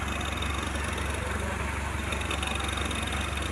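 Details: Toyota Hilux Surf 1KZ diesel with EFI electric fuel pump, after fixing a loose wire in the harness that caused a no-start; check engine light still on: steady even idle, regular low thump, no misses or knocks.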